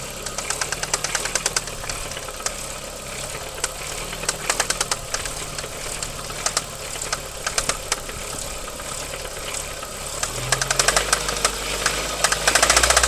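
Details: VW Golf 4 1.8 20V AGN at idle: sharp metallic ticking knock, about three to four per second, staying loud; appeared after hard driving, cause unknown.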